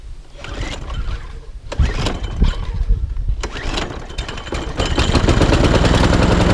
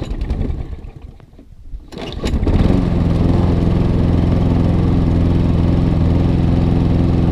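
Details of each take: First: ATCO Admiral petrol lawnmower after a full service, first start primed three or four pumps and throttle on fast: a few rough pulls and sputters, then it catches and settles to a steady, even fast run. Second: ATCO Admiral pull-start mower bought cheaply, before service (filter looks shocking): catches after about two seconds, then a steady but slightly uneven drone; runs rough, getting new pull cord, air filter and spark plug. Cause suspected, not confirmed.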